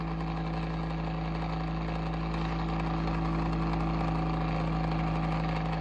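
Steady low hum with a faint regular pulsing about three times a second; the fan motor sounds off, cause unclear.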